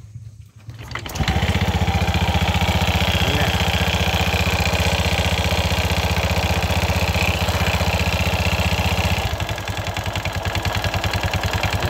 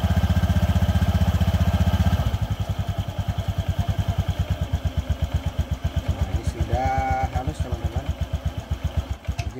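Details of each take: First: Honda Vario FI 110 scooter with CVT cover removed, started and idling then revved: coarse clattery knocking about two to three beats a second, rough at idle and acceleration; worn CVT rollers and pulley parts. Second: Honda Vario FI 110 after CVT primary and secondary components replaced to cure rough noise on acceleration and idle: steady, even pulses about four a second settling into smooth idle, no rattle or grind; rough CVT noise gone.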